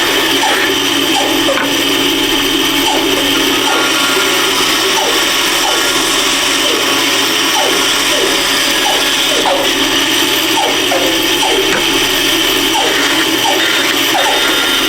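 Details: Band saw cutting the bottom piece of a wooden candle holder: fast light ticking over the saw's steady hiss, the guide bearings touching the running blade, which is what they normally do.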